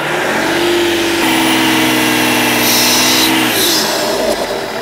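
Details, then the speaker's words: BMW 330d restarted after head gasket job, warming up: engine held at steady revs, then a sharp loud turbo whistle rises and cuts off as pressure releases; no visible leak, boost pipe suspected. "Sauf peut-être la conduite de suralimentation, parce que quand Simon il était dans la bagnole et qu'il faisait aller l'accélérateur, on entendait vachement le turbo."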